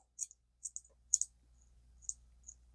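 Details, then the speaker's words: Zebco Cardinal 3 vintage ultralight spinning reel after clean and lube, clicker tested after snap ring is seated: light, crisp, even ticks in small clusters as the spool turns, not very loud; clicker works normally. "And test your clicker out. That one's not going to be real loud,"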